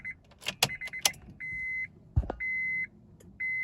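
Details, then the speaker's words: Acura RSX Type S with a swapped K24 engine, key cycled before the first start: a steady high buzz of about half a second, repeated, as the fuel pump primes normally; no leaks found. "okay you should hear the fuel pump come on pretty decent when it's primed"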